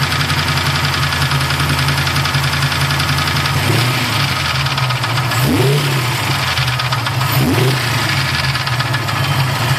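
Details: Freshly assembled Mustang 347 stroker V8 at lumpy idle with a light, uneven top-end tapping that carries through two quick throttle blips; owner thinks it is a lifter, not confirmed.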